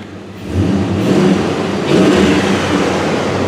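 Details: 2004 Dodge Ram 5.7 Hemi after replacing a broken ignition coil and clearing codes, warming up: engine picks up cleanly from idle, revs rise and hold smoothly without popping or stumbling; healthy.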